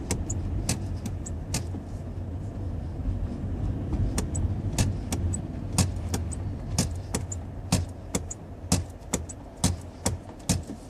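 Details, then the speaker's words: 2016 Toyota Prius while driving: light clicks about once a second over road hum, getting sharper as the car slows, a recurring brake noise with no known cause. "Today is the October 26th, Wednesday, and there is the same noise from the brake."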